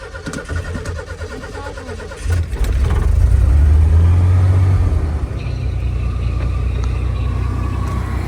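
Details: 1989 Ford F-150 XLT Lariat EFI, after a new gas tank and fuel pump fixed a fuel problem, with about four gallons in the tank: it cranks, catches and revs, then settles into a deep, even, steady idle; normal start and idle.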